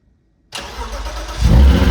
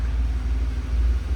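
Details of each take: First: Peugeot 106 GTi project track car, stored almost 2 years, cold start on new battery: cranks and catches promptly, settles to steady low idle with faint top-end ticking, owner believes oil has drained to the bottom. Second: Peugeot 106 GTi warmed up after several minutes idling, oil level checked perfect, running on old petrol; smooth even low idle rumble, earlier ticking completely gone, no misses; engine healthy.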